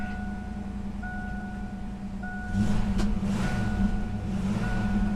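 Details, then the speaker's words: 1988 Ford Mustang GT convertible, completely original with under 1,800 miles, everything works: fires right up into a steady, even low rumble and a smooth idle with no knocks or misses; healthy. "how roadworthy is it, how well has it been kept up? This thing is amazing, everything works. Fires right"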